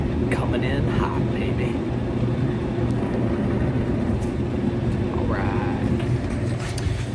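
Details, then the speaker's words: Samsung DV48J7700EW/A2 electric dryer that ran a few minutes then shut off, run on heat for testing. Steady drum rumble and hum with no knocking; the board relay clicked and it started heating. Normal operation with heat. "that's a good sign really that it started off cold then you hear the tick of the Theros not thermostat relay and then it started heating"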